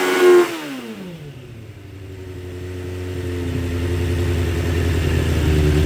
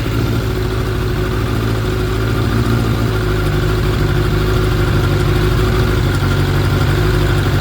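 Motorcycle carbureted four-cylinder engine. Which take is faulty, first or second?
first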